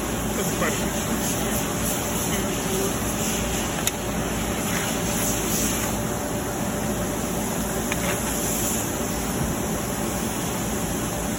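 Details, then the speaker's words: Marvair wall-mount AC unit after replacing a faulty Coollinks control board that caused a communication alarm. The compressor fired up after a delay, and the unit runs with a smooth, steady whoosh and hum with no rattles or surging; it is working properly. "there would be a delay there it goes fired up wow"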